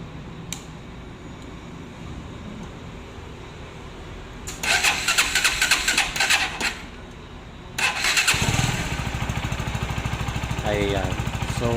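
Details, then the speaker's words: Rouser NS160 after replacing timing chain and roller guide, cover refitted, first start test: fires after a couple of blips and settles to even steady idle; former rough timing-chain noise gone, running normal. "nawala yung ingay niya, no? Normal na yung kanyang andar. Nawala yung magaspang yung natunog doon sa may timing chain."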